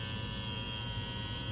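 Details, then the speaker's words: 1/48-scale Cessna 150 model: the small nose motor, mounted but not yet glued, gives a steady high-pitched electric whine with a buzzy rattle. Shaft vibration inside the cowl is suspected, and the builder may shave the shaft down to quiet it. "and it sounds like a little airplane doesn't it maybe I'll I'll try and shave that shaft down a little bit coil down that noise"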